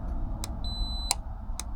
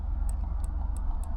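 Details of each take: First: Gulf Stream Endura motorhome relay being bench-tested: power applied across terminals 85/86 gives a sharp click, and the multimeter on continuity beeps steadily, so the contacts close and the relay is good. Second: Gulf Stream Endura motorhome relay bench-tested with power applied: only faint, thin ticks over a low hum, the relay barely clicks and the meter shows no continuity, unlike a good relay's audible click; failing relay.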